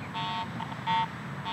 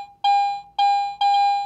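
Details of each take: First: Garrett AT Pro metal detector swept over mineralized soil above a nickel coin buried 8 inches deep for a year: irregular short mid-pitched bursts with no steady target signal, only ground response from improper ground balance. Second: Garrett AT Pro metal detector in standard mode (binary audio), coin passed beneath the search coil at different distances: eleven identical full-strength tones, about two per second, giving an even on-off normal coin response.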